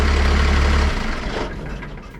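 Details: 1962 Chevy C20 with a 12-valve Cummins diesel swap at first start: oil pressure light goes out and it charges at 13.7 V. A deep, steady idle rumble dies away smoothly when the key is turned off, so shutdown works normally.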